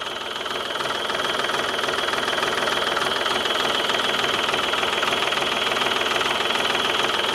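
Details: Old tractor jump-started with a battery booster plus a little starting fluid: steady even idle at about two pulses a second, no misses or stumbles; running smoothly.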